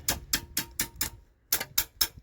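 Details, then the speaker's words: Junkyard Mopar 400 big block, heads being checked by tapping valves near the spring: sharp dry taps in quick bursts, each a solid hard click with no give, a valve seized in its guide; two valves found stuck. "so I'm trying to bring you over so you can hear this better the difference in a valve that's stuck which is solid flood to near the spring"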